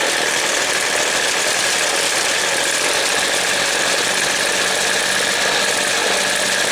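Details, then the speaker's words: Weed Eater two-stroke trimmer during carb adjustment: a dense, buzzy, slightly uneven drone that slows as the low-speed jet is opened too far, running rich and bogging before the jet is closed back. "yes taking my tool now i'm going to open the load jet up here how it slowed down and i'm going to close it back up"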